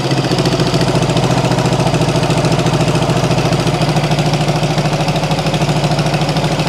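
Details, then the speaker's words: 1974 Honda CB360 twin built from parts bikes, first start: rough idle with sharp regular puffing tick on each firing pulse, about three per second, engine also smoking; exhaust leak. "all right we can can bet on an exhaust leak already sounds like she's snapping up here"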